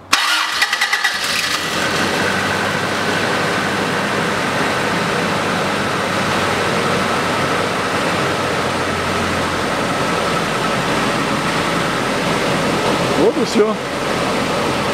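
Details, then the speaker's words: 2000 Toyota Noah 3S-FE after snapped timing belt replaced (non-interference engine, valves not bent): quick crank catches and settles into a smooth, steady idle with no knocks or slapping; normal start and idle. "завелся чем хорошего двигатель при обрыве ремня не гнет"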